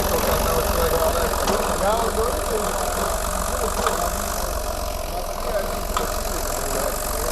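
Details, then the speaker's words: Audi A6 Allroad diesel at idle: faint, uneven light mechanical tapping under the clatter; owner came suspecting the injection pump (TNVD) on a neighbour's advice, but an unexplained mechanical knock comes from the engine, source not yet identified. "но никто же не обращал внимания на стук из этого двигателя стучит там что-то механическое какая-то"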